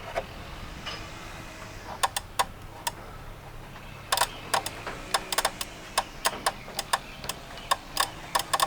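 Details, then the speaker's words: RV rooftop air conditioner with new control board installed: irregular sharp relay clicks in bursts over faint hum whenever the wires are touched; hard to isolate which wire, suspected bad wire, not confirmed. "But every time we touch those wires, you can hear relays opening and closing in there. It's hard to isolate which wire is causing the issue."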